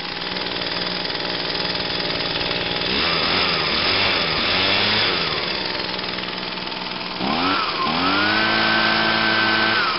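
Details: 2009 Echo PB 251 two-stroke blower on a cold start, with choke on and five primes. A crisp buzz settles, dips and climbs as the throttle opens, then holds a steady high rev, which means normal running after a cold start.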